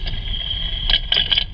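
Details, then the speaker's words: Vehicle driven over big bump with right front wheel, ChassisEar channel 2 clamped to front knuckle: sharp clunks over low rumble; front suspension clunk, suspected ball joint or front hub, not confirmed. "it's something behind there it's it's the ball joint or it is um something related to the front hub"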